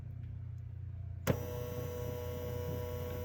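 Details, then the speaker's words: 2011 Toyota Camry power window motor tested with the red up wire run straight to ground: a faint, steady electric whir starts abruptly and holds an even light hum; the motor runs smoothly. "motor running all right same thing with the green wire dark green wire which is supposed to be I forgot now up or down all right with that said I can pin that okay you hear it running"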